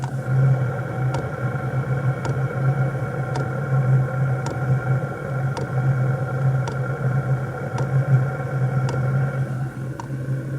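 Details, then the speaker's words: VEVOR 2 kW vertical diesel air heater with CO sensor and Bluetooth, installed in a van, on gear 1 (lowest consumption, minimal ventilation, pump at rarest rate): steady low hum with a sparse fuel-pump tick about once a second; normal quiet low-output running. "मैं गियर 1 पर जितना हो सके उतना इस्तेमाल करूँगा। क्योंकि आपकी खपत सबसे कम है और हर तरह से सबसे कम शोर है।"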